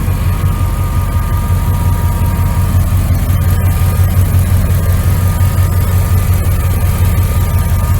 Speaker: Motor sounds good. She's a little old, but get it in order so it'll serve you.